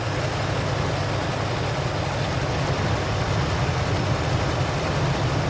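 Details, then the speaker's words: 1988 Toyota Land Cruiser, heard from the back: smooth, even low idle around 650 rpm with no misses, ticks or knocks; typical healthy Land Cruiser idle, owner likes 650–700 rpm. "this is that typical land cruiser sound that you would expect just idling really really nice"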